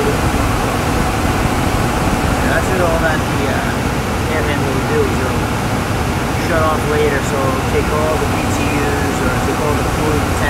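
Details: Furnace blower in a gas-fired furnace in a crawlspace, just after replacing a blower motor that hummed and froze under power; new motor mounted straight to protect bearings. Steady even airflow whoosh, no wobble, thumping or rattle; normal quiet running.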